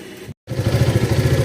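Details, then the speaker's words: Zontes 368G after replacing the Techpulley U-clip with a QJ Motor Fortress 350 U-clip: steady, even low idle thrum with no CVT knocking, which was previously heard at cold morning idle; now quieter, normal CVT idle. "Ni kita dah tukar kepada QJ motor, dia lebih senyap lah."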